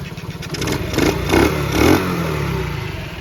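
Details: Restored Honda CT70 four-speed, one with a 110 electric-start engine and one with the 70cc engine: small single fires up, putters evenly, blips cleanly three times and returns to a steady idle; normal start and idle.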